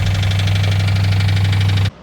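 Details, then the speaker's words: 2004 Ford Crown Victoria 4.6L 2V at idle: heavy low drone with a fast rattling clatter until shutdown; timing chain tensioner gasket found torn and leaking, so the tensioner couldn't hold oil pressure, thought to be the cause of the noise. "What we ended up finding was the timing chain tensioner gasket had torn and was leaking in a different spot. So therefore it wouldn't have been able to hold the oil pressure. We feel like that was the cause of this noise."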